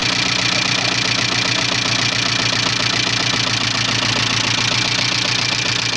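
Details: 1985 Subaru Leone EA82 engine at idle: steady dull regular tapping about three or four beats a second; knock, owner unsure what is knocking.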